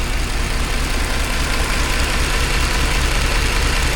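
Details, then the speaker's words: Mercedes C63 AMG M156 V8 before cam adjuster repair, just driven from France with engine light having come on, cold-start rattle assumed from cam adjusters: idle doesn't hunt but sounds a little rough, lumpy beat with faint rapid ticking from lifters. "It seems to idle okay. It doesn't hunt at all. It does sound a little bit rough."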